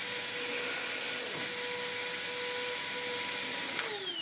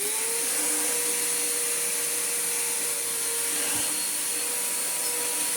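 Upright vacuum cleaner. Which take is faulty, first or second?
first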